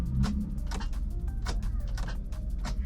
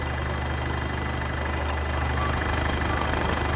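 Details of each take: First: Car at an auction yard: repeated short clunks about every half second, with the starter engaging but the engine not turning over; a bad battery is suspected. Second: Diesel at an auction yard, about 100,000–120,000 km, coolant red, slight blow-by noted. Even diesel idle clatter at a steady pace with no misses or heavy knocks; healthy diesel at rest, no warning messages.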